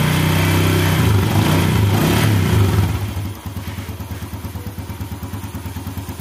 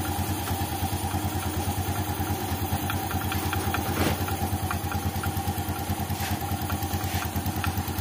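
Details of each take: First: 2014 Yamaha Jupiter Z1, cold-engine rattle complaint, after cleaning the water-clogged crankcase breather hose: starts, revs briefly, settles into smooth even idle, rattle gone; noise was from the breather hose, not the clutch. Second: 2014 Yamaha Jupiter Z1 idling, rattles when engine cold: light regular clatter about twice a second, loudest at the breather opening into the air filter; crankcase breather hose clogged with water, not clutch or engine internals.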